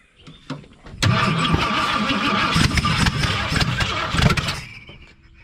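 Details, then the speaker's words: 302 V8 after the distributor was turned back: cranks briefly, catches at once and settles into a fairly even, steady run with no misfire or stumble; sounds healthy. "sounds better that's exactly what it is got distributor turned in back yeah"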